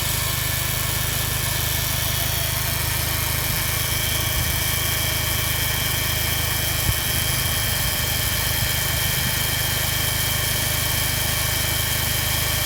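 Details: Subaru Impreza WRX STI (GRB) at idle: constant high-pitched whine with a faint buzzing layer, an abnormal noise from the A/C compressor.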